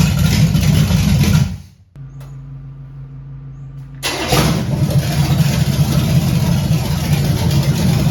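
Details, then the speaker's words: 1978 Camaro, 383 stroker with Vortec heads, first start-up: V8 rumbles, drops out for a couple of seconds, then fires back into a steady, faintly lopey idle; mild cam, not high compression, owner hopes about 325 hp; normal idle. "i think it's got a little cam to it you can tell it's not a super high compression motor i'd be happy with maybe 325 horse out of that 383."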